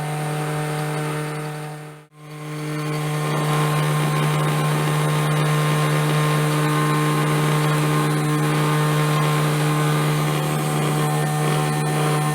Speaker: Oi e a isso aí podemos observar que está tudo funcionando bem